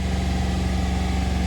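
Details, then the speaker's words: 2016 Ram 1500 5.7 Hemi, all plugs and coils already replaced: held at about 2,500 rpm the engine hums with a faint recurring uneven pulse, a cylinder 3 misfire that appears at raised rpm; cause not yet found. "Not high idle, but high RPMs. So at like 2,500, it starts missing."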